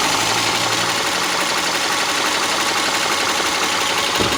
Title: subaru legacy 2.5 sohc ticking noise